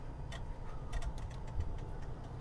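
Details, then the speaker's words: Onan generator in a GMC motorhome, with the coil hot-wired: quiet, quick ticking of a few clicks per second over a low hum from the electric fuel pump, slowing as it gets fuel; normal pump operation. "hear that that's the electric fuel pump oh it started slowing down they didn't mean it broke or it got fuel i think it got fuel"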